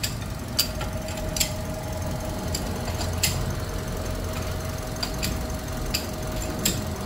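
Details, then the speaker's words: Toyota 1NR-FE engine with nearly 400,000 on the clock, idling warm after replacing timing chain and tensioner and cleaning strainer and hydraulic valve lifters: steady even idle, faint constant whine, only scattered light ticks; engine now quiet. "yan tahimik na po yung makina kaya yun lang ginawa natin dito naglinis tayo ng ano ng strainer Val lifter Tim chain pinalitan saka tensioner"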